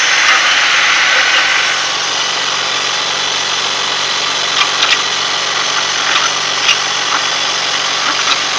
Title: Weird noise in engine 2000 BMW 323 ci